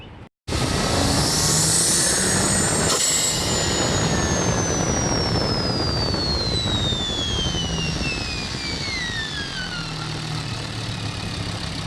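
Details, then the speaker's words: VW/Audi turbo car with RKX-tech aftermarket diverter valve replacing Forge 007: strong engine roar under load with a high whistle sliding down as revs fall; comes out of vacuum quick, holds boost; normal diverter valve operation. "the rkx diverter valve was in there and operates just fine comes out of vacuum quick holds boost the whole time"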